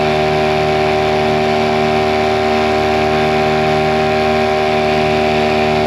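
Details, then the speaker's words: Mercury 9.9 hp two-stroke short-shaft outboard, believed early 90s, revived after years sitting; carb and plugs upgraded. At full throttle on a lake under load, a high steady buzzing whine holds without stumble or dropout; normal full-throttle running. "and the motor doesn't stop stall at all of course when you increase the speed that's where the mirror goes so we're going to test around this motor for a little bit"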